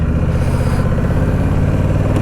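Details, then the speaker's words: Honda Rebel motorcycle riding in about 102–105°F heat, with a fresh air filter and service: a steady engine drone with a brief stumble as it seems to lean out; hesitation while riding, cause unknown. "Traffic has calmed down now. Ooh, and this thing just kind of leaned out right there."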